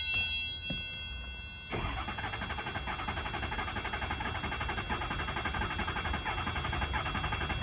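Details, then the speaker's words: 2007 Ford F-250 6.0 diesel V8 cranked via relay tester without starting: uneven, lurching cranking rhythm showing low compression; cylinder 5 misfire codes and shaking, injectors all working. "aquí el problema es compresión no sé si alcanzaron a escuchar pero se escucha bien a la hora que se le da escucha el bajón el bajón de la del motor"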